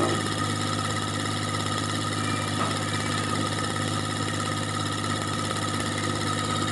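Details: Kubota L2002DT tractor, D1302 20hp diesel, after fixing hard starting caused by a stuck decompression release: steady, even diesel clatter at constant idle with no misses or knocks; idling normally.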